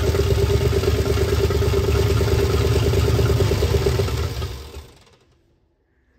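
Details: 1976 Ford Bronco Sport parked 30 years, after ignition repair, choked with extra fuel: V8 chugging unevenly with a lumpy beat for a few seconds, then dying away; needs tuning, oil pressure gauge hose leaking.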